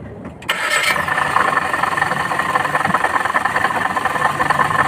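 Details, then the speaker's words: Maruti Baleno engine started at idle: steady metallic rattle and whirr over the idle from the water pump; worn water pump bearing, belt then removed and water pump taken out for inspection. "गाड़ी आ गई है। यह पानी है pump से आवाज आ रही है।"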